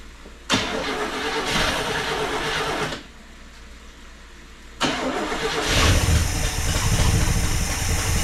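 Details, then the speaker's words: 1974 International pickup sat for years, blown muffler: engine catches on second try and settles into lumpy uneven idle; rough running after storage, carburetor probably still gunked up, transmission iffy. "transmission's iffy she's carburetor carburetor is probably a little gunked up still and it's real gross in here"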